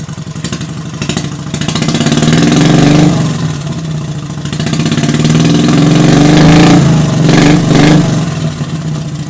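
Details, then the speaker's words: 16 hp Vanguard V-twin mower-derby engine after running wide open too long: ragged, loping, uneven exhaust pulses about four per second under throttle, losing power; owner suspects it is running on one cylinder. "towards the end you can hear the motor kind of sound weird and then it start losing power and for sure I heard it at that point but I did not care pretty sure it's on one cylinder"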